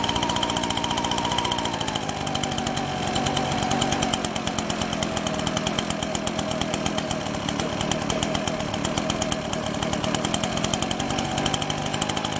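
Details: Husqvarna 125BT backpack blower two-stroke, spark plug wet, running after restart: fast raspy firing, pitch sags early then holds, uneven and spitting, bogging slightly; leaking somewhere, cause not found; running rough.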